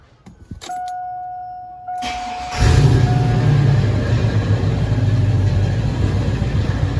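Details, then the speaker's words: Cadillac V8, previously straight-piped, now with two Dynomax valved chambered mufflers: after a door chime it cranks into a rough burbling idle with a "ting ting" rattle from the muffler valves bouncing; owner unsure whether install angle or worn mufflers. "Well, the rattle is still there. We'll just have to deal with it, I guess. I guess that's probably one of the downfalls of the valve exhaust, but let me set it up on a tripod, give it a couple revs, see how it sounds."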